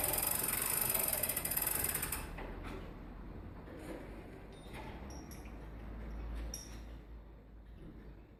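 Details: Longcase grandfather clock by John Owen, 1765, being set up: the weight is wound up on its pulley, cord feeding evenly onto the drum. Quick, even ratchet clicks, roughly three or four a second, fading out as winding stops; a normal, healthy winding click.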